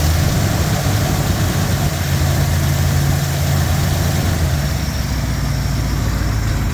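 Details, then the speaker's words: Jeep J10 engine at idle after exhaust repair: deep, even idle with steady low throb, no ticking, exhaust leaks fixed; suction noise is from the intake; engine still vibrates, less when warm or with slightly higher idle. "see there's no exhaust leaks anymore no more ticking the suction noise that you're hearing is just from the intake"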